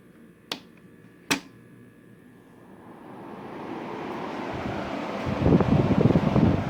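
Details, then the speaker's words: Restored 1967 Carrier Weathermaker 8700 BTU window air conditioner starting: two sharp clicks, rising hum, loose low rattling bursts; owner says rattle stops once head pressure builds, already cooling. "You hear it start up. So if it goes head pressure, it'll stop rattling."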